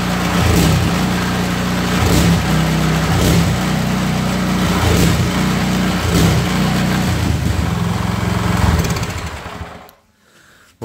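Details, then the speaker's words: Snowblower engine after crankshaft end play was removed with a stainless shim at the bearing outer race; bearings sound and no vertical play. Runs steadily with a dull, irregular knock about every second that remains; suspected crankshaft, engine replacement likely. "подшипники вертикального люфта нет вообще стой вот а стук остался"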